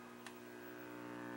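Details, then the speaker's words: Admiral 17T1 television under restoration: steady low reedy mains buzz in the audio despite an extra filter cap on B+ pin 4. Buzz drops considerably when the scope ground is connected to the chassis; grounding suspected, not confirmed. "there's The Buzz connect it considerably less that reminds me of radio like this Fila 3930 where I would get buzzing on some portions of the band unless I grounded the chassis"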